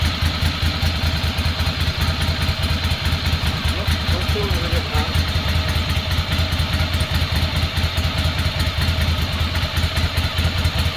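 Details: 2006 Ducati Monster S2R 800 after fuel pump replacement and injector cleaning, first run in years: steady, lumpy twin-cylinder beat, even and regular with no knocks or misses while idling and revving; normal idle and revving.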